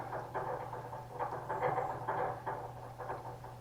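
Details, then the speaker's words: Sabre 2000 CNC Y axis: uneven clanking, grinding bursts over a steady motor hum each time the axis reverses; clunk on direction change, suspected ballscrew, possibly the motor, servo drive unit to be removed. "so that's the noise we were essentially hearing when we would switch"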